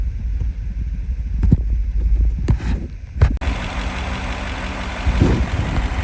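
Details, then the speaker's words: V8 with 307,000 miles after replacing a whining belt tensioner or idler pulley with a bad bearing, found with an IR thermometer: a low, steady idle with no whine or chirp from the belt pulleys. "all right that's changed out you don't hear that annoying little noise anymore so I definitely did the trick"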